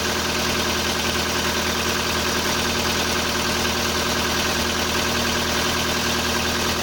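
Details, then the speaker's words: Volkswagen Polo Sedan, CFNA engine, 193,500 km, cold start at -30°C: fast light ticking over a steady idle, about three per second, judged hydraulic lifter tick rather than piston knock. "Я кроме гидрокомпенсаторов ничего не слышу, никаких поршней."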